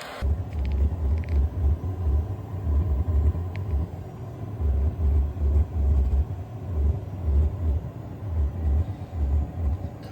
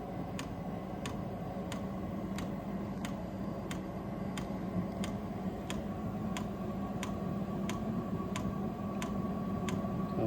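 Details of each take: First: Vevor diesel heater just turned up to setting 4 and igniting: deep rumbling growl swelling and fading about twice a second, quieting as it heats up. Cause unconfirmed; owner suspects spilled fuel or oil under the tank. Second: Vevor diesel heater at about 30 hours of running, just turned up to setting 4: sharp, even fuel-pump ticks over a low fan hum as it ignites and starts pumping. This is normal dosing on startup. Oil was found under the tank, possibly spilled while filling; no leak found.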